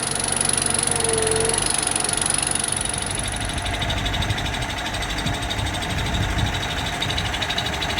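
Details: Franna crane diesel engine, started by spraying diesel into the intake with the turbo pipe removed: rough uneven clatter running unsteadily; engine starts and stops from sticking injection pump plungers.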